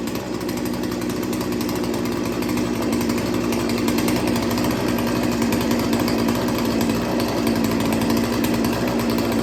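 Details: Small two-stroke chainsaw after sharpening and carburetor idle tuning, idle screw turned almost a full turn: runs on steadily with no hunting or dying out; idle holds even and clean, problem fixed.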